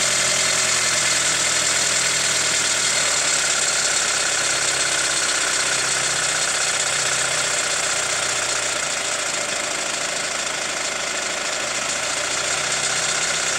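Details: Hyundai ix35 CRDi 136 hp diesel, warm, recorder on the wheel: quick metallic ticking about four per second at idle and revving, ringier with throttle; chain damper tensioner replaced 1.5 years ago, dealer found nothing; knock source unknown.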